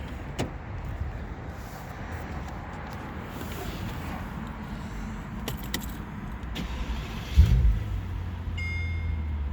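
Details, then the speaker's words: 2005 Mercedes-Benz SL65 AMG twin-turbo V12 (604 hp), engine start during a pre-purchase inspection, car cold. Quiet clicks, then it catches promptly and settles into a smooth, even low hum. Starts right up with no issues, smooth engine, healthy. "So it starts right up, no issues, sounds nice. Engine is nice and smooth."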